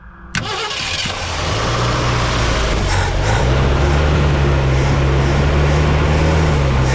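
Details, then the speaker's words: 1967 Ford Galaxie 500 old V8, abandoned, fuel pump priming from tank; cranks briefly, catches, settles into uneven loping low rumble that never smooths; running rough, carburetor vacuum leak suspected. "Cranks. She's running, sort of. Come on, baby."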